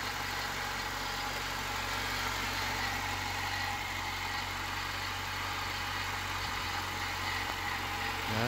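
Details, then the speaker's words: Honda Civic EK hatchback petrol engine first start after head rebuild with replaced intake valves and valve adjustment, smooth quiet steady idle with no knocks or ticks; throwout bearing still loud despite replacement. "Let's go check out the motor. Sounds really good."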